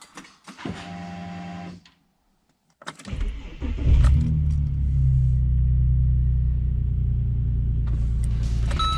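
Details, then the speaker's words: Ford BA Falcon Barra engine after installing new Walbro fuel pump in old assembly: short electric pump hum on key-on, pause, then engine catches quickly and settles into even, steady idle; pump working normally. "Everything seems to be working as it was, so we did something right."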